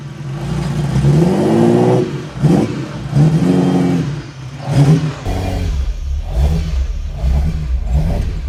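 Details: Ferrari 308 just back on the road after rebuild, down on power, coils changed: revs rise and fall in uneven lumpy bursts with ragged stuttering exhaust note; misfire, not running on all cylinders.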